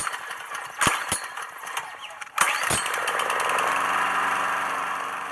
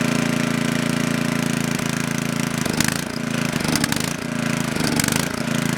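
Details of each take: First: Coleman Powermate Maxa 5000 ER generator after adjusting the carburetor fuel mix screw: steady, even drone at governed 3,600 rpm with no surging; runs fine. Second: Coleman Powermate Maxa 5000 ER generator, reassembled from parts, running on half choke with governor active: engine hunts up and down about once a second; lean, starving for fuel with choke fully open, carb cleaning suspected needed.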